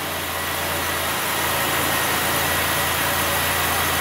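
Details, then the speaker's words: Chevrolet Impala 3.5L V6 (codes P0118, P0335, P0326; slow crank, misfire) after the battery was charged: smooth, even idle with small rev-ups and one slight miss but no dead miss; the coolant sensor now reads correctly. "so it sound sounds pretty dang smooth there are a couple more little rev UPS"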